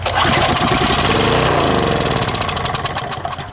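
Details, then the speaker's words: Harbor Freight pressure washer engine, unstarted about 10 years, apparently leaking gas, cold start on starting fluid: sputters to life at fast uneven beat, about three and a half firings a second, then dies; bad gas suspected, rod knock suspected earlier. "wants to run he hasn't run in 10 years it's just been sitting they're flicking gas bad watch it start again why can't it stay running"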